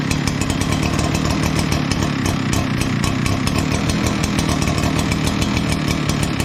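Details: Echo PB9010T backpack blower after annual maintenance (new spark plug, air filter, fuel filter), refuelled, primed with the primer bulb, about 50°F outside: loud, steady two-stroke buzz with a dense, even rattle of firing and no stumbles or surging; running smoothly.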